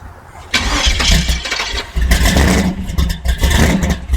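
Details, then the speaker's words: 1964 Chevy II gasser V8 after a year in storage, cold start without choke, throttle being feathered: engine catches, then surges and sags unevenly, nearly dying between blips; gas given after stalling floods it. "there you go so you got to kind of feather it while you give it a little more a little more gas"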